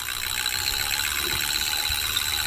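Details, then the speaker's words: 4000 RL spinning fishing reel: fast, fine, high-pitched ratcheting chatter while the handle turns; noisy but normal, showing the anti-reverse is working. "It is, but that tells you that the anti-reverse is working."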